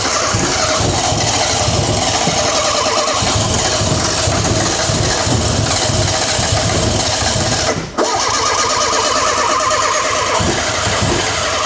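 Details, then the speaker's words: Renault 5 GT Turbo just started for the first time in 5 years, with the fuel pump powered directly: ragged, uneven idle with stumbling beats and a brief dip; cause unclear, wrong HT lead order suspected. "It sounds a bit unhappy, doesn't it? Still very unhappy about something. It's relatively unhappy, I would say."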